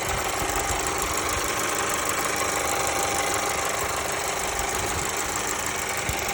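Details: Mercedes A-Class W177 with the M282 petrol engine idling: a quick, fairly regular ticking over the steady hum, cause unknown.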